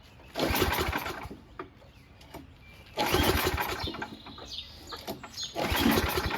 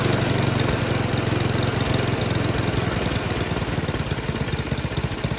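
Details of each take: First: Noma/Murray Snow King 27" dual-stage snowblower, 9HP Tecumseh, before repair, with gas in it, oil good, primed, on choke and throttle high: four recoil pulls spin the engine but it never catches. The owner suspects no spark, possibly the shutoff. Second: Noma/Murray Snow King 27" dual-stage snowblower, 9HP Tecumseh, after HIPA carburetor replacement: the single-cylinder pulls steadily at high revs with even firing and no stumbles or knocks. Normal running; the owner wants to lower the full-throttle speed.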